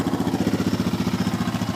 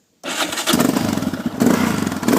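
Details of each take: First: 2001 Yamaha Raptor 660 single-cylinder quad with a closed airbox, idling: crisp, evenly spaced pulses of about thirteen a second, steady with no knocks or misses. The quad runs perfectly. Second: 2001 Yamaha Raptor 660 quad, cold start: it cranks and catches, a few throttle blips, then settles into a slow, lumpy thump of around eleven beats a second. It needs throttle because the idle is set a bit low.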